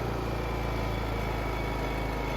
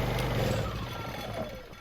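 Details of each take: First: Honda EU2000i inverter generator after carburetor rebuild and fuel system cleaning, in eco mode: steady low hum stepping up smoothly under 1500 W load without surging; previously died in eco mode, now running healthy. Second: Honda EU2000i inverter generator with fouled fuel system, running from a temporary fuel supply before carburetor rebuild: engine chugs steadily then dies as a 1500 W load is applied; lean carburetor.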